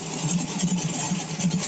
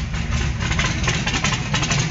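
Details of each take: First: Carbureted small block on pump E85, blow-through CSU carb, warmed just past 140 degrees, idling around 850–900 rpm: steady even idle thrum, soft low pulse, no misses or knocks; smoother normal warm idle. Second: Carbureted small block on pump E85, blow-through CSU carb, no choke, cold start, around 100 degrees and still cold: loud lumpy uneven idle with deep burble; rough cold idle until E85 warms past about 140.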